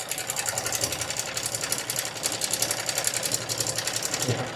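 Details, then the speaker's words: Yamaha R15M engine at idle, suddenly began making a strange "kat kat" noise while riding: fast light clatter, about three to four per second; timing chain rattle from failed tensioner, rocker arms normal, noise stops only while tensioner held adjusted. "चलते-चलते अचानक ये sound आया है। Engine से एक अजीब sound आ रहा है cut cut का।"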